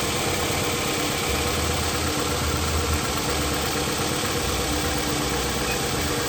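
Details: Toyota Camry petrol engine idling with an uneven, stumbling beat: single-cylinder misfire logged as code P0301, cylinder 1.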